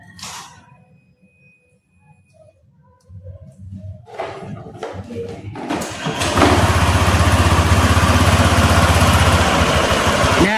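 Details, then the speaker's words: Honda Vario 150 gen 1 scooter, before disassembly: fires up into steady idle with a coarse, rattly edge; rough noise suspected from the CVT, with a squeak also reported, cause not confirmed. "di sini di sini ya kita bisa mendengarkan suara kasar dari CVT Honda Vario 150 ini ya."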